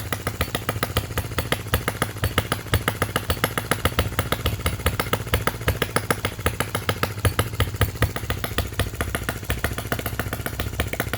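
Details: Miniature Lister D working petrol engine (OKMO/Retrol), first run after first-pull start, with fresh sump oil, petrol and hopper cooling water: quick, even popping exhaust beats holding a steady rate, no misses or knock. Running fantastically, normal steady running.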